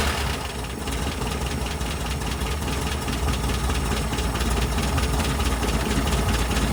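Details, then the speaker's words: 1967 VW Type 3 Squareback air-cooled flat-four, cold start after fixing non-working carburetor chokes: catches right away into busy, slightly uneven idle clatter; starts easily, chokes later open as it warms. "hopefully very nice so that started up super super easy I'm just going to go ahead and get the engine to run for some time"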